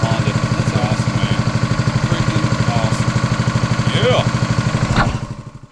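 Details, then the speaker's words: Honda GX200 196cc replacement engine on a 27-ton Dirty Hand Tools log splitter (replacing a leaking-carburetor Kohler), first start with choke on and throttle at mid: steady, even single-cylinder beat with no misses, then winds down; normal running. "Let's see if it starts. Oh, I love a Honda. Look at that. Yes. Yes. All right, choke off. Woo!"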